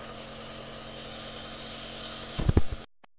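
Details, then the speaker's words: Omron NE-C28 compressor nebulizer during inhalation: a steady airy hiss like vapor or wind power over a low, even hum at constant pitch until switch-off. Normal compressor running. "Jadi ini adalah suara yang dihasilkan dari kompresor nebulizer Omron ya. Suaranya lebih keras seperti uap ya, tenaga angin."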